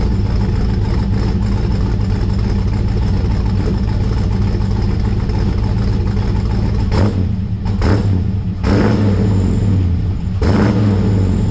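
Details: 1955 Chevrolet Bel Air four-door with Gen III LS V8 (4.8/5.3/6.0) running a Comp Stage 1 Thumpr hydraulic roller cam, changed intake and headers, not yet tuned: deep, choppy uneven loping idle with a few throttle blips, no knocks; normal cam idle.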